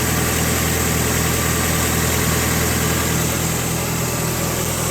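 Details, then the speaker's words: Cold idle after an exhaust leak fix and stock O2 sensor refit: a steady airy hiss over a rough, even idle that doesn't change rhythm. Owner attributes it to the belts, not an exhaust leak; the cause is suspected, not confirmed. "I don't feel it. That's just the belts making that hissing noise."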